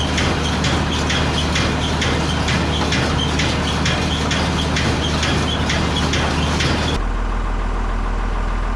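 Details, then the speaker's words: Baler test run on the Massey Ferguson's PTO after new pickup bearings replaced a cooked one, freshly greased and checked: a steady diesel idle with an even clack about twice a second, no grinding or squeal. Normal operation. "And now we're gonna just put the PDO shaft together and hook it up to the Massey Ferguson and just test it, because Dad's just greased it all and checked it out."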